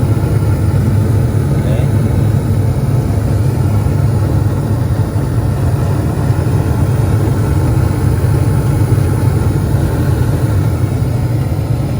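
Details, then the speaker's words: Attic gas furnace restarting after the flame sensor and igniter are refitted and a fuse is checked: steady, even low rumble from burner and blower, no clicks, puffs or surging; furnace lights and runs normally. "i put back the flame and the igniter and i think everything will be running normal now here again the natural start normal after i connect it again now the flame will start"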